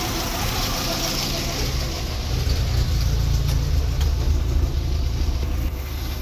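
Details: VW MK4 1.6SR engine idling then a throttle blip, with a deep irregular thudding underneath that rises with revs; owner asks whether it is a bearing knock, cause unconfirmed.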